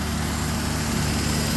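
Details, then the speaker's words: Carburetted French car with automatic choke, running on fresh fuel with some smoke: steady, even idle with no knocks, misses or hunting, sewing-machine smooth. Normal idle. "Well, let's get out and smell the exhaust. Sounds pretty good. Sounds like a sewing machine."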